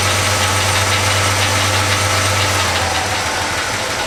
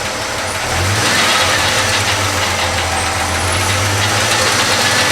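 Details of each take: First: Chevy C10 pickup V8 first start after a full wiring harness replacement: even, steady idle rumble with no misses; belts squeak slightly and a rocker arm on cylinder 5 or 6 needs adjustment. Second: Chevy C10 pickup V8 after a full wiring harness replacement, first start: loud idle with a thin high belt squeal and fast light ticking from rocker arms needing adjustment, likely on cylinder 5 or 6.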